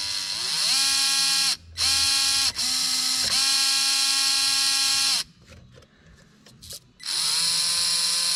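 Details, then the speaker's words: Traxxas TRX4m RC crawler after cleaning and reassembly, battery in, lights and steering working: clean, even motor whine rising and falling with throttle, gears humming smoothly with no clicks, binding or grinding; drivetrain runs freely and smooth. "I love it. I don't see anything binding. It sounds smooth."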